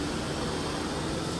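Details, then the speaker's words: 1979 Triumph Spitfire, sat about 20 years: the heater blower fan runs with a steady, even whoosh and a faint hum, with no rattle or scrape; working normally. "Fan's working."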